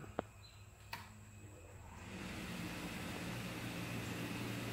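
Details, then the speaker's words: Sunstar 45K BTU overhead garage radiant tube heater, gas line leak-tested: clicks then exhaust blower spins up to steady even whoosh and hum; normal 30-second pre-purge before ignition fires. "so it's a 30 second purge it blows anything out of the exhaust for 30 seconds and then it'll start up"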